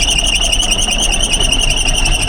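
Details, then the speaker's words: 1978 Kenworth K100 cabover diesel, long-stored, first start, idling right away: lumpy, uneven idle under a loud cab buzzer, a little smoky, not hitting all six cylinders; misfire at idle. Oil pressure 60 PSI, water temp not yet up. "Little smoky. Not hitting all six."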